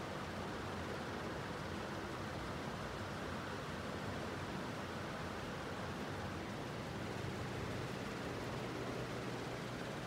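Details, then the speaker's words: Emerson Strato-Jet ceiling fan, new in box, just switched to full high power and spun up quickly: soft, even rush of air with no ticking or scraping, though it shakes a little; moving a tremendous amount of air, normal high-speed operation. "So at this point, it's moving a tremendous amount of air. I can feel it all over the apartment. It's like a whole house ceiling fan."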